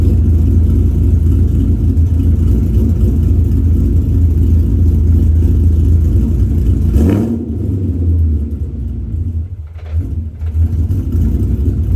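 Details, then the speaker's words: '65 with check engine light code P0352, ghost cam tune loaded; engine rumble sags and stumbles for a few seconds then recovers, an intermittent misfire that comes and goes; cause suspected, not confirmed. "Hear that struggle? It's like it just saves itself."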